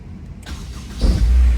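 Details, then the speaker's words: Honda S2000, 102,000 miles, after clutch master cylinder replacement and bleeding; brief crisp crank catches within half a second into strong even idle; healthy starter, no drag. "Listen to that starter. That thing is beautiful."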